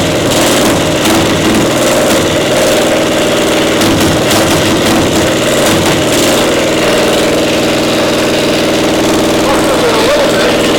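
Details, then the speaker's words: Caterpillar Diesel 70 pony motor during restoration startup: uneven, stumbling running, one cylinder firing intermittently despite blue spark, not hitting every time; ignition fault suspected, spark plug questioned. "It wasn't as strong on that one Right. cylinder as the other one. It's hitting intermittently like it's a spark. It's got a nice array of blue spark there, but it's not hitting every time."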